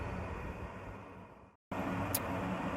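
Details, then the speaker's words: Roof-mounted home radon fan after doubling the exhaust stack length: steady soft rush of air with only a faint low hum; the former airplane-like noise is largely gone, fan sounds quiet and smooth. "There, I just doubled the length of that stack, and you can see it's, you just hear the air."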